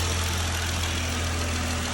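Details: 2020 Jeep Gladiator idling after top-end repair for a tick; smooth steady low hum, no ticking or tapping. Belt noise normally fades after idling; owner suspects slight water pump drip. Normal idle.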